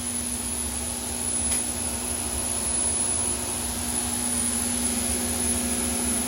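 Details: Overhauled GE unit with upgraded EZ Lube oil system, about 8 psi at inboard and outboard bearings: steady hum with a constant low tone and thin high whistle, no knocks or surging; runs smoothly.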